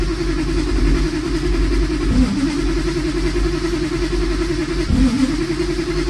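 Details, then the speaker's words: 1965 Plymouth Barracuda LA 360 with Magnum heads, Sniper EFI, Tremec TKX five-speed: runs lumpy and stumbles twice, with the electric fuel pump found wired backwards — rough running from reversed fuel pump wiring. "might have wired the fuel pump backwards of course I wired the fuel pump backwards why would I have not wired the fuel pump backwards hey that sounds better"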